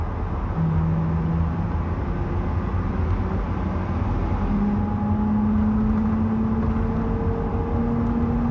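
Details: 2011 GMC van with 134,000 miles, heard from a phone in the cab: a steady low howl rises and holds over road noise at highway cruising speed. It comes on only on the gas; the rear end is suspected.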